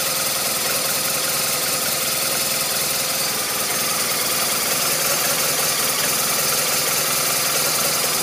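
Idle chuffs along at roughly two and a half beats a second with an uneven, stumbling rhythm; a rough idle, cause not yet found.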